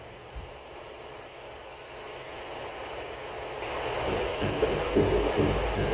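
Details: Ford Explorer, phone placed on strut mount area while steering wheel turned: grinding rumble and dull clunks from the front strut mount bearing, caused by debris entering the bearing; fix is replacing the strut mount.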